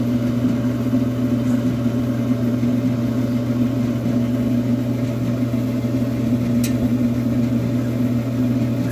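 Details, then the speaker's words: Maytag Neptune gas dryer on quick dry cycle after gas valve solenoid work, restarting and reigniting: gas valve clicks, then a steady low hum with no knocks or rattles; burner lit and running normally. "you should hear the click of the gas valve [Music] there it is"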